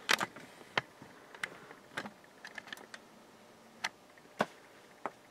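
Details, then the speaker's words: Breville BM0734XL microwave oven bought 2017 (6 years old), magnetron bench-tested with about 13 V across ground and filaments: irregular sharp snaps and crackles over faint hum, current jumping, smoke and smell; internal arcing, magnetron fried. "this magnetron is pooched I can hear arcing inside current going up see smoke I see"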